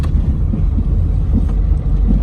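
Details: Daewoo Lanos driven over cobblestones: dull thuds about every second over heavy road rumble, gone when braking; worn rear bushing of the front control arm, to be replaced.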